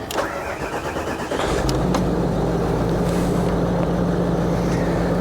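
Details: Crash-damaged Range Rover being rebuilt, after reconnecting a missed ignition plug: brief starter whirr, then engine catches cleanly and settles into a steady even idle with smooth low hum; healthy start.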